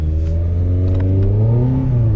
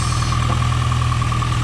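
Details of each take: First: 5th-gen Honda Prelude, test drive after upgraded fuel pump and filter work, intake manifold resealed with no leaks: revs climb briefly then sag and hang flat, still bogging but picking up slightly better; owner suspects ignition timing. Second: 5th-gen Honda Prelude idling with fuel pressure about 45 psi and no leaks, before fuel pump replacement: smooth steady idle, constant low hum with a faint even whine, no stumbles or knocks; not acting lazy, idles as it should.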